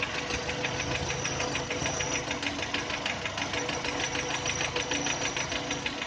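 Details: 2010 VW Touran 1.6 BSE, cold idle after two days parked: sharp ticking knock about three per second once revs fall below 1000, fading as it warms, stopping above 1000; seems left side. Engine rebuilt just over 15,000 ago (new pistons, valves, hydraulic lifters, bored block); source unconfirmed.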